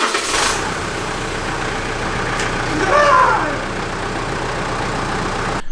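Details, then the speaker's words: Mitsubishi Pajero Sport 4M41 3.2 DiD diesel at 193,000 km, after intake manifold cleaning, EGR block-off and valve adjustment: an even, steady idle with a brief swell around three seconds and no knocks or misses; it sounds healthy. "that is it, folks. She is alive, she is kicking."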